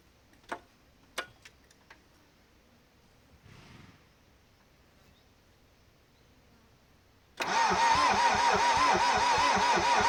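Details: Nissan Terrano II: a few clicks, then steady starter whine with rhythmic compression beats about three a second, engine never catches; crank but no start.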